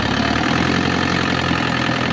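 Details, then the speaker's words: 2007 Isuzu Crosswind XT after its EGR was cleaned for the first time in 20 years and everything reinstalled: steady even idle with smooth low rumble, no misses, knocks or hunting; engine sound became finer; normal idle. "Parang pumini tunog ano?"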